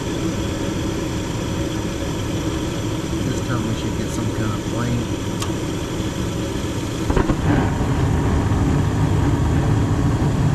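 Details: Gas furnace in a house that had no heat on a cold morning, running after the gas was turned on and the pilot lit, with the blower already running. Steady, even rush of burner and blower air with a low hum and no knocks or rattles: normal operation.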